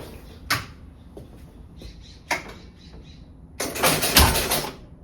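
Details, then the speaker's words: 1974 Williams Strato Flite electromechanical pinball machine at power-on after vacuuming and cleaning contacts: a few relay clicks then about a second of fast clatter ending abruptly; score reset stops at 600 instead of zero. "Okay, so there's something definitely wrong there. It only resets. Like, it's not resetting back to 0. It's at 600."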